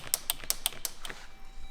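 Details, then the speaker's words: Jeep at about 100,000 km, doors repainted under warranty with the door panels removed. Quick run of sharp, light clicks, about six a second, from inside the door: something loose vibrating, cause suspected, not confirmed. "something inside my door started shaking and started clicking after I got these doors repainted so because they had to take off these door panels so now I got this click something's vibrating in there"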